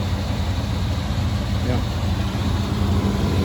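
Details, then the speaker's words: 1994 Chevy Blazer Z71 after installing a new A/C compressor and receiver dryer, orifice tube not yet replaced: an even idle with no compressor rattle and only faint belt noise, much quieter than before; one pulley is rusty. "I still need to do the orifice tube, but just a little bit of belt noise, but it's so much quieter than it has been ever."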